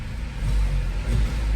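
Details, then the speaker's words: Skoda Rapid after throttle body cleaning, transmission fluid change and ABS sensor replacement, revved from inside the car: a deep rumble rising and falling smoothly with two quick blips, no misfire or rattle; it now starts immediately, normal revving. "Revving it also, it sounds good. Let me show you once again. So it feels smoother, and everything is working well."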